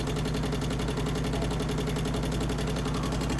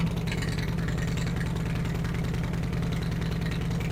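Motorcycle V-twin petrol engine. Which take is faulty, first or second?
first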